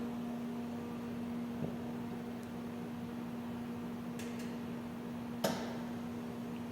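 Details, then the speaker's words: Crysta-Apex 7106 CMM, main power switched on after the air supply: steady low hum with soft ticks, beeps and a brief click; normal start-up cycling. "Once you hear it, you'll hear it go through some beeping, some cycling."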